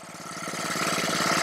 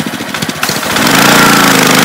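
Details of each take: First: Honda-powered Ryobi 3100 PSI 2.5 GPM pressure washer that won't stay running, just started: rapid even firing climbing slightly but only keeps running on choke; owner suspects a carburetor problem. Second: Honda-powered Ryobi 3100 PSI 2.5 GPM pressure washer, started on choke with pressure relief lever out: catches and idles with steady even putter, doesn't stall; low-idle sensor was found not clogged.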